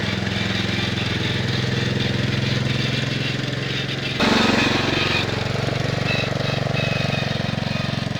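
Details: 1969 Bolens 850 tractor, Wisconsin S8D 8.25HP single-cylinder, run after carburetor initial adjustment while tuning points: rough uneven thumping that roughens as speed rises; knocks badly at high RPM, idles poorly, smokes; cause not yet found.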